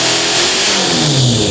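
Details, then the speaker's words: Small single-cylinder engine on a modified mower, cold, in neutral on a jack: revs then briefly falters and sputters halfway through the throttle before picking up; owner thinks it needs bigger jets; idle still high. "you heard that that cut out halfway through the throttle"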